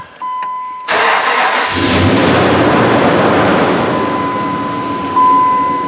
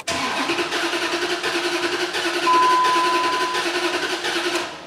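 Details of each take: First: 2004 Dodge Ram 5.7 Hemi after the broken valve spring was replaced and the rocker shaft, coils and gaskets were reinstalled, on a weak battery: it cranks briefly, catches and settles into a smooth, steady V8 idle with no stumble or miss. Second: 2004 Dodge Ram 5.7 Hemi, towed in as a no-start and running rough unless held on throttle. Cranking has a lopsided, limping beat with one compression stroke missing per turn, suggesting a dead cylinder.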